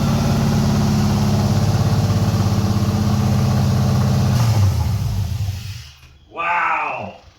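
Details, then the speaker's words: 1989 Chevy S10 Blazer with swapped 2000 Silverado 5.3L V8 (Stage 3 cam, LS6 springs), first start without O2 sensors or MAF: even, steady fast-idle lope, then clean shutdown. Runs after replacing a cheap crank sensor. "sounds great it finally runs it was a crank sensor don't buy cheap crank sensors don't buy eBay sensors they're bad"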